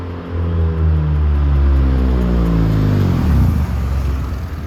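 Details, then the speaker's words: Zero-mileage HPD K24Z7 racing engine swapped into a Honda Civic EK hatchback, which also has a notchy-shifting clutch. A deep rumble climbs unevenly from low revs, lumpy and slow to pick up before smoothing out higher: rough low-rpm running. "and obviously and the engines are all rough for the low rpms"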